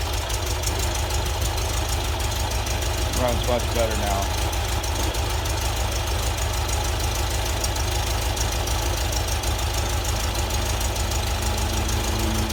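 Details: VW Type 4 flat-four after new ignition (009 distributor, Bosch parts), idle jets 55 to 50, cam break-in and second fuel pump, hard to start: steady even idle with regular low beat, no misses or knocks; normal idle.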